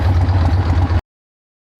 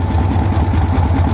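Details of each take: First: 1976 AMF Harley-Davidson Ironhead Sportster chopper on a long ride: idle turned down from almost 1500 rpm, which was too high, to a lumpy but even V-twin idle with no knocking, which sounds right. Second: 1976 AMF Harley-Davidson Ironhead Sportster chopper on a long road trip, parked at a dealership: steady V-twin idle with quick even firing pulses, almost 1500 rpm; idle set too high, then turned down.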